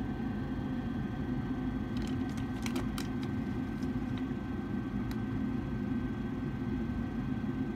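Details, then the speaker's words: Gas furnace inducer blower running while its pressure switches are tested with a needle valve for vacuum (high-heat switch rated 0.78 in. water column, closed at 0.81) as a multimeter beeps: an even, steady hum with light clicks and no wobble or bearing noise; normal. "so we'll hear the beep of the multimeter when we have closed so now we're opening up and go faster here to get it open which is slowly opening"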